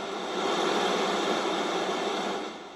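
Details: 1976 Sony Trinitron KV-1723D just powered on after replacing 17 capacitors, some bulging: steady even hiss from the speaker, no crackle or pops. Normal speaker static on power-up.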